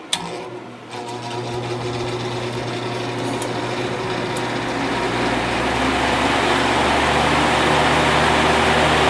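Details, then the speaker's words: 1950s Patton 18-inch High Velocity fan, 3.2 A GE shaded-pole single-bearing motor, reassembled after servicing: fast even rattle about three to four beats a second over motor hum on high and low; cause suspected, not confirmed. "high gorilla is VI or rattling a little bit but and there's low I have to do something about that noise it's really annoying"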